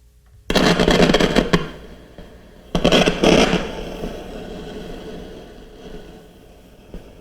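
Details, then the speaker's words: 1940s RCA CR-88 radio receiver under restoration, testing 4700 pF mica capacitors: heavy irregular crackling like rain, with steady hiss underneath; faulty noisy mica capacitor. "sounds like a rainstorm foreign wind or something like that wow I have to tell you I've never come across so many bad 4 700 picofarad capacitors"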